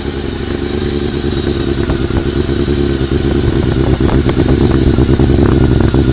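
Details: Honda CBR400RR after riding at Ebisu Circuit, at idle: uneven idle with an irregular clattery mechanical tick from the top end; owner suspects the cam gear train, not confirmed.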